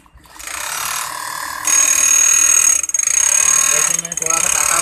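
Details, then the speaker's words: Fast, sharp metallic ticking that speeds up with the machine on an industrial auto-oil high-speed sewing machine: the feed dog (teeth) is touching and striking the needle plate, causing the noise. "ये आवाज़ हमारी जो ये दाती है plate में touch हो रही है, आप देख सकते हो प्लेट में टच हो रही है, इसकी वजह से ये आवाज़ आ रहा है, ठीक है?"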